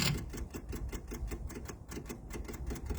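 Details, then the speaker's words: MEP-002A military diesel generator, unused for decades, with rusty fuel, engine off during priming before glow plug preheat: steady rapid clicking about five per second from the electric lift pump priming the fuel lines, expected to stop once primed. "that should stop clicking at some point kind of that's a good sign actually let that run for a little bit"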